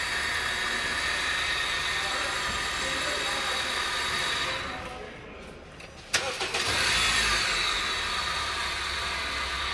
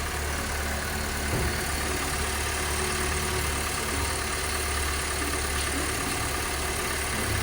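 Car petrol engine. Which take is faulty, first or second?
first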